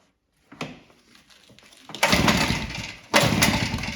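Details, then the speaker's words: Salvaged Red Max EBZ7100 two-stroke backpack blower after fuel-line replacement and carburetor repair, started on starting fluid. A few weak pops, then short bursts of roar as it catches and runs briefly. "Starting fluid on a 2-cycle, but just see if it kicks. Try the other way with the throttle."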